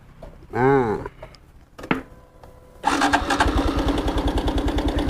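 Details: 2021 Honda Wave at about 12,000 km, cold start after replacing cam chain tensioner: fast light metallic rattle over idle persists; slack cam chain still slapping, owner suggests tilting bike to oil it or riding a while.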